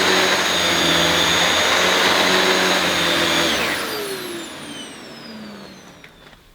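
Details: Refurbished used Dyson DC21 Motorhead canister vacuum, bought smelly and damp, brush bar spinning evenly with slight rattle, then motor cuts and winds down; owner thinks the powerhead sounds better than the DC23; normal brush bar running.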